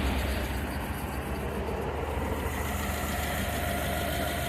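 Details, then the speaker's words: 5.0 V8 first start after new timing kit, no water pump or fans fitted, briefly rough with little blue smoke; deep even burble at steady idle, no ticking, knocking or stumbling; normal idle. "quiet quiet Qui Qui see it's running just on the uh straight motor all good for here"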